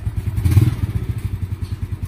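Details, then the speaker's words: Yamaha Mio Sporty scooter after top overhaul and tune-up with valve adjustment and oil change. Quiet, regular single-cylinder idle after a short settle, with the earlier valve clatter gone. Normal idle. "So ngayon parang nagbalik sa, nawala yung kalansing, no?"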